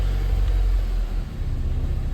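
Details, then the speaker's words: 2004 Honda S2000 after fixing catalytic converter rattle (loose core secured with a screw): deep, even exhaust rumble easing off as revs drop, no tinny rattle; rattle formerly appeared around 1,200–1,400 rpm on deceleration, now gone. "apparently with the rattle is gone it would come on right around 1200 RPMs 1,400 RPMs when it was coming down"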